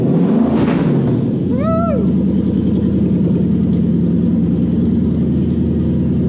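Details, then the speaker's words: 1947 Ford pickup with Toyota 1UZ VVTi V8, A650 five-speed auto, Link Storm ECU and Motec PDM, running after wiring and fuel pump circuit checked; even, steady idle with a smooth low rumble, no knocks or misses, normal idle. "so the fuel pump circuit works we're all looking good motor runs run run"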